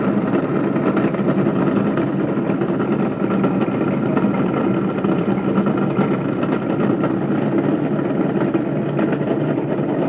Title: Bedini Motor bad bearings